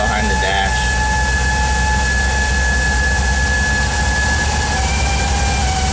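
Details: VW Vanagon 2.1 under throttle: thin steady high-pitched hum above the engine drone, coming from behind the instrument cluster when throttle is advanced; source unknown.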